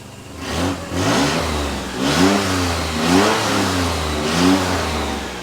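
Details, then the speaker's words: Nissan Z31 project, after replugging a connector that had cut spark: revs up and falls back cleanly about five times with steady idle between, no spitting or misfire; now running smooth, owner plans cap, rotor, plugs and wires. "But now it seems to be running pretty smooth."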